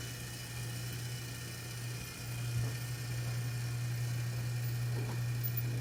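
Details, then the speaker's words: Tumbler-turner motor spinning an epoxy-coated tumbler: loud steady low hum with a slight wobble, three to four pulses a second, noisier than it should be; cause unclear. "oh my gosh I know this weird loud noise what is that noise"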